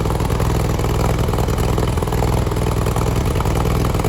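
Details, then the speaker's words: Track buggy engine pouring concrete on a pool job: uneven, lumpy running with irregular clattery stumbles and dropouts, spitting and sputtering, misfiring, cause unclear. "Alan's not running that great. You can hear it spitting and sputtering."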